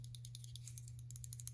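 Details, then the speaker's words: Hogue Doug Ritter Mini RSK MK1G2 folding knife, MagnaCut and carbon fiber, shaken: quick light tinny metallic clicks about ten a second; other screws tight, owner suspects the liner at top, which has no screw, with one screw missing. "So I think it's going to be a rattle of this liner up here because these are all tight."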